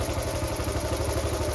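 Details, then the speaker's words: Restored Honda Cub C70, choke off, after re-setting the ignition points (points, not cam timing, blamed for running rough): small single thumps at an even idle, steady with no misses or hunting; normal idle. "sounds all right sounds fing perfect [Music] oh my God I think it's right it's done it perfect"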